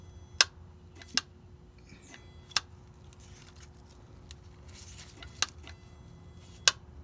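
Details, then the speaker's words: 1998.5-2000 Dodge Ram Cummins with no-bus codes 920, 921, 999: sharp, irregular clicks about once a second when touching self-grounded transmission governor solenoid connector; poor connection, solenoid fails from metal shavings. "so now that I made that noise that it's not a good connection on it because this is self grounded"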